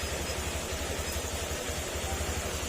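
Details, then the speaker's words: Yamaha Aerox 155 long stored, brought in for no-start and noisy engine, fuel pump damaged and needing replacement; now running with a low, even idle thump and no rattle or clatter. Normal idle. "At ah tahimik naman na dahil wala naman kumakalansing na."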